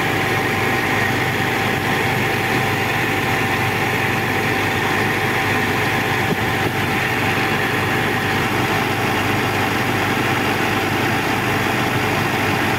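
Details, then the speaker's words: Old Caterpillar heavy diesel after overheating, with radiator water topped up: constant, even rumble with no surging or straining; dashboard red overheat light no longer blinks, back to normal idle. "so Ayun mga kabakit ay bumabalik na sa normal so ioperate na naman natin ito"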